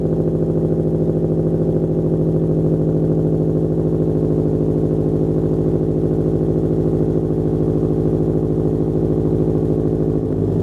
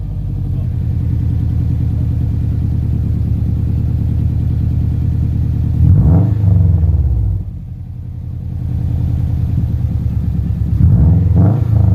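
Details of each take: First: 2007 Subaru Legacy GT spec.B turbo with catback exhaust, new mid pipe and resonator, muffler delete and HKS blow-off valve: deep, steady burbling idle with an even beat and no skips, knocks or rattles; normal idle. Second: 2007 Subaru Legacy GT spec.B with Nameless catback and muffler delete, mid pipe not yet fitted: deep, loud, raspy drone while driving with two throttle surges and a rough flatulent rasp from an exhaust leak, "like a very angry pig."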